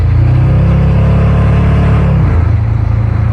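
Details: Engine pulling hard under load on the road: deep steady rumble easing off, no rattling or pinging on top; owner thinks earlier noise was the hood, not detonation; normal acceleration.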